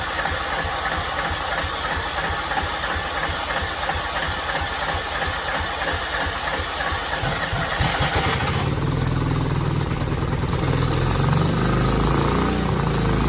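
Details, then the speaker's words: Cub Cadet 2166, 16hp Kohler Command single-cylinder, faulty fuel pump, primed by pouring gas into the filter and line: chugs about three beats a second, uneven then steadier, running on poured-in fuel, not the pump. Runs only on primed fuel. "I think think I just need to keep priming it"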